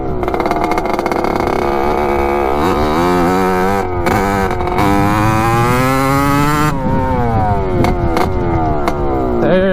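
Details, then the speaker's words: 1986 Kawasaki KX125 two-stroke after a loose carburetor part was tightened and the float height fixed, now running a little leaner: crisp, clean revving up and down, firing evenly, responsive, with no bogging; runs as it should, if a little loud. "oh baby that sounds a lot better [Music] let's see oh yeah there we go that's how it's supposed to run it's a little loud it's okay"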